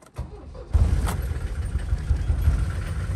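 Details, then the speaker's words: Mercedes diesel van cold start after fitting new inline fuel filter (old one clogged); short crank, fires right away, settles into even low diesel rumble with no misses or knocks, cloud of smoke: normal cold start and idle. "This is going to be a cold start of the diesel. Let's see how everything works."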